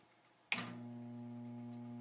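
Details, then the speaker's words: Furnace/AC HVAC blower motor gets power but cannot spin: a click, then a steady low electrical hum with no spin-up. It is burning out, with a horrible smell; the unit was noisy before it broke. The capacitor is a possible cause. "now it's trying to turn on the motor you just hear that humming noise the motor's getting electricity but it can't Spin"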